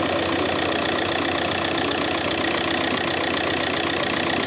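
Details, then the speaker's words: Audi A3 8P 2.0 TDI BMM diesel idling after replacing the seized alternator overrunning clutch pulley: steady, somewhat loud clatter, but the earlier knocking rattle is gone. "Конечно, что-то ещё он громковато работает, но хотя бы нет этого."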